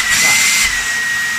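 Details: Dyson V10 cordless vacuum after stripdown and repair to make it air-tight again: high even motor whine with steady whistle, speed drops cleanly between power settings; runs smooth and sealed, no rattles.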